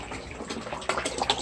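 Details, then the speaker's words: Backyard aquaponics system with the pump just switched on: gurgling and burping, then steady, even splashing and trickling as water pours from the outlets, showing normal water flow. "You can hear it gurgling and burping. Start spitting out water here any second. There we go. And we've got some water flow."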